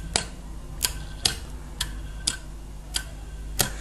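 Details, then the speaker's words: 220 V refrigerator compressor, removed from the fridge, on bench power: sharp clicks every half second to second with no motor run between them. It keeps trying to start and fails, drawing excess current. "compresor hace un click hace un intento de arrancar pero no puede arrancar el mismo por lo tanto tiene un exceso de consumo de intensidad"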